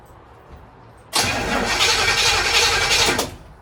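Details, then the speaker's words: 1936 Chevy coupe with an HEI distributor, cranking with the distributor unplugged so there is no spark, to check a slow-start problem; steady, even cranking for about two seconds with no dragging or clicking: the starter turns the engine over normally. "If the starter motor sounds fine and constant, then the starter's probably okay, but we'll find out."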